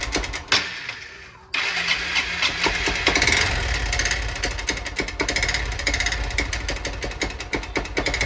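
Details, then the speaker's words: Honda Bros 160 motorcycle at idle after starting: sharp, regular fast ticking knock over the engine; owner suspects piston knocking up by the cylinder head, possibly needing a cylinder-piston kit; unconfirmed. "aí pega a visão do barulho que está fazendo no motor galera parece ser um pistão batendo aqui em cima no cabeçote não parece ó se liga"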